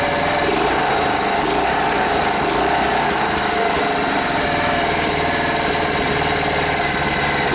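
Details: Briggs & Stratton air-cooled 5 hp outboard after fixing fuel delivery by sealing the fuel pump line vacuum-tight: small single-cylinder motor holds a fast, even buzz with no stumbles or surging; running healthy.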